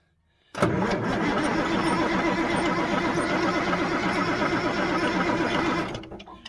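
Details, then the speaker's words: 1977 Mack R model diesel truck, about 45 years old, cranked: an even starter churn at about four beats a second for five seconds, never firing. The owner suspects it is not getting any fuel. "now it's not going to do it it's just not getting any fuel"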